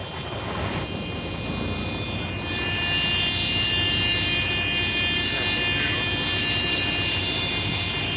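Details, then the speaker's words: Idling truck with an 1845 trailer at the shop for an air leak somewhere at the rear, rear brakes also thought to need adjusting: a steady, high, non-pulsing hiss of escaping air. Air brake leak. "I don't like that sound. I almost got an air leak. Well, I do got an air leak."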